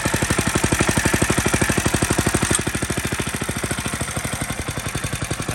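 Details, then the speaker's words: Grandpa's restored Merry Tiller single-cylinder engine, worn carb with choke wedged by wood, old spark plug still in, governor untuned: even firing pulses about ten a second, holding low speed without stumbling; runs well with good compression. "you can see, it runs pretty good. I haven't even replaced the spark plug yet."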